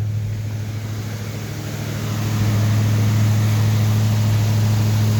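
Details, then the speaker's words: Rebuilt Ford 302 Windsor V8 with new Melling camshaft and new exhaust, about 10 minutes running, idle varied 1500–3000 rpm for cam break-in, timing still needing adjustment. Deep, steady burble rising in pitch as idle raised, smooth and even: normal fast idle. "I've been kind of turning the idle up and down a little bit to get that 1500 to 3000 RPM range to break in that cam. Still gotta mess with the timing a little bit, but it's running pretty good right now."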